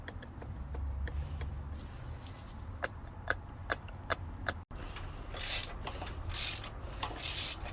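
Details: Vauxhall Astra at low idle: sharp metallic ticks and a dry rasping rattle, typical of a noisy timing chain; cause suspected, not confirmed.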